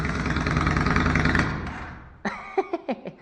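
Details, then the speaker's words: Yamaha XV535 Virago V-twin, cold first start, choke on, running gravity fuel feed instead of the original fuel pump: quick uneven chuff then dies within about two seconds when throttle is touched; owner suspects the gravity feed. "And immediately after you touch the throttle, it dies. But this is originally a fuel pump actuated fuel system, and we are running just a straight gravity feed, so that might be doing some cheeky breaky too."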